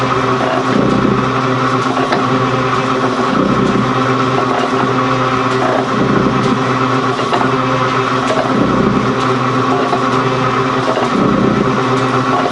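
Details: Gould & Eberhardt 24-inch heavy duty shaper (1912 patent date; owner guesses 1912–1930), just shifted into high speed with the larger pinion engaged, first high-speed run. Steady gear hum with an even surge about every 2.5 seconds as the ram strokes: normal running.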